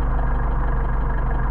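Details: Car engine idling on a freshly prepared set of Solex 44PHH carbs during synchronizing, with synchrometer airflow readings around 5 to 5.5 and RPM rising as one carb is adjusted: a steady, even low rumble with no misses or hunting.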